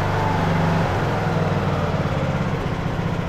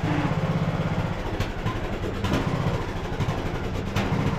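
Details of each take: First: Craftsman LT2000 riding mower, almost 20 years old, after new carburetor fitted, choke on, temporary air filter: single-cylinder engine holds a steady even low thrum, no pops or misses; running smoothly, idle may need slight adjustment. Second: Craftsman LT2000 riding mower, almost 20 years old, hood off, before carburetor replacement: small engine speed rises and falls every second or so, hunting idle surging from a bad carburetor.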